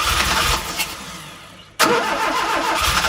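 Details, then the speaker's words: 1971 Fiat 850 Sport Coupe, first start attempt after ignition coil replaced and distributor points cleaned (dirty terminals had shown kilo-ohm resistance): starter churns, engine coughs and falters, then catches with a loud burst, nearly starting but not settling; choke possibly left in; plenty of unburnt fuel. "That is a car that wants to start."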